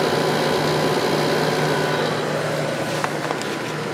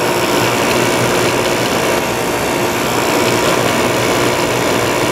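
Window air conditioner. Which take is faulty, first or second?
second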